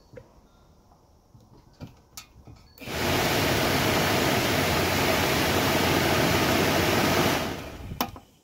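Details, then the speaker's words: New AC Delco blower motor for a 1969 Camaro/Firebird, bench-tested: it spins up to a smooth, steady rush of air for about four seconds, then winds down cleanly. It is much quieter than the old one. "lot quieter yeah I'm gonna be happy with that let's just pop it out we'll hear it outside yeah I'm happy with that"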